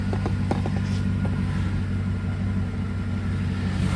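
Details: 2006 Chevy Silverado V8 revved in place: deep rumble with sharp metallic ticks/rattle on acceleration, none at idle; owner first placed it under passenger valve cover, now thinks it comes from underneath, source unconfirmed.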